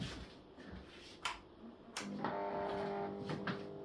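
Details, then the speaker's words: Thorn fluorescent fitting newly fitted with T12 tubes: after switch clicks, a steady hum with a tonal buzz from the ballast that makes noise for unknown reasons; a ballast replacement may come later. "j'ai un souci avec le ballast de cette règlette le B fait du bruit je sais pas pourquoi"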